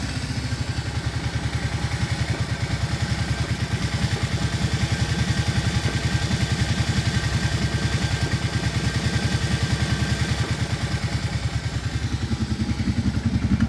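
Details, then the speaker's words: 2007 Kawasaki Brute Force 650 V-twin ATV, 218 hours, 689 miles, idling: erratic lumpy idle with clatter and lean pops; suspected clogged pilot jet making one cylinder run lean at idle, carbs likely never cleaned. "while idling, the idle was a bit erratic and actually I could hear it popping like a lean pop."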